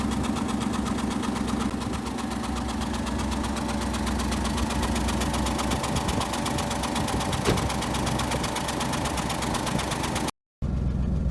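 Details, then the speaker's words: Lincoln V8 unstarted for about a year, cold-started on a 20°F February day, cranked for oil pressure first, 2-cycle oil added to gas: steady idle, even low rumble, light valvetrain ticking, no stumble; running fine. "Is alive again, just won't die."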